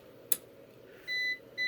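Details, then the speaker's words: APC BN450M 450VA (255 W) UPS unplugged from mains: click then two steady high beeps about half a second apart, indicating it has switched to battery power; switches back when plugged in. "that we're on battery and then if i plug it back in it should switch right back to there"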